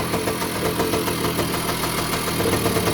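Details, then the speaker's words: 1985 Kawasaki KE100 two-stroke, first start after years sitting with blocked carburettor, carb cleaned, running on premix: even ticking beat at steady low idle, no misses; ticking over cleanly. "so we're gonna go for a start with uh premixing it there we go we have it running"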